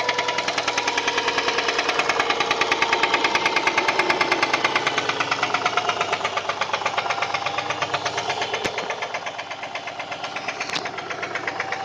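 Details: Subaru EJ204 engine at idle with heavy, persistent metallic knocking about three per second; teardown confirmed a spun connecting-rod bearing on cylinder 1 (rod knock).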